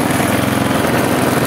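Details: Briggs & Stratton 650 engine on a Husqvarna J55S mower, old and in mediocre condition: at held throttle it pulses unevenly, beat rising and falling instead of running steady, surging and hunting.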